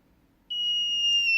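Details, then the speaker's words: DIY MQ-5 propane leak detector on Arduino Nano with speaker, tested with lighter gas: silence, then a sudden steady high-pitched continuous tone without pulsing; alarm triggered and working, louder nearer the leak source. "and a bonus with this way too is the speaker actually gets louder the closer you get to the source of the leak"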